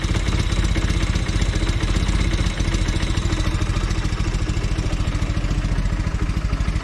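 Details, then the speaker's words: Velocette LE idling at about 700 rpm after clutch and points adjustment: an even, steady low putter with no misses or stumbles, smoother than before, when it sometimes had a miss or tick; a healthy idle. "Seems a lot better. It sounds like it's running smoother at idle as well."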